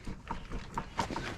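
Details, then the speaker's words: KA24DE engine swapped into a Nissan 300ZX (Z32), rotated by hand with all four spark plugs removed after a knock on its first crank. A few free turns, then a sharp knock about once per second as it binds. Owner thinks the hit comes from the transmission, perhaps the clutch striking the bell housing. "Now, while it's hitting, I was trying to listen around to see if I could hear where it was coming from, and I think it's actually coming from inside the transmission."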